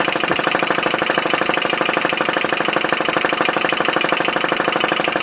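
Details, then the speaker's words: Homemade MET alcohol-flame model engine, first run after 8–9 years on the shelf: steady sharp ticking at about three clicks a second. The valve slide's return spring is too weak to open it fast enough, possibly limiting RPM. "Spring's not strong enough to hold it back to open that up fast enough. And that might be the limiting factor of the RPM of it too."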